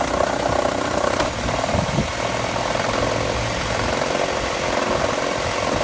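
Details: 2000 Toyota RAV4 with about 130,000 miles, idling with a light, quick ticking rattle over the engine note; the source of the tick or knock isn't pinned down.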